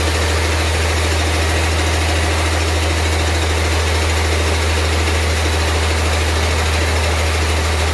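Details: 1948 Ford F6 COE rat rod with 190 HP 5.9 Cummins 6BT, P7100 pump, #10 fuel plate, first start: steady, even idle with deep smooth low rumble, no knocks or misses—healthy six, not smoking much.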